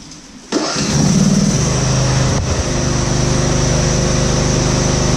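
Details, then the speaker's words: Husqvarna GT52XLSi lawn tractor, 24hp Briggs & Stratton, after replacing the carburetor jet O-rings, not fully warm: catches at once and settles into a quick, even idle with no hunting or surging; the governor holds steady. "yes anyway purrs like a kitten real fast it's not really warm you nice place"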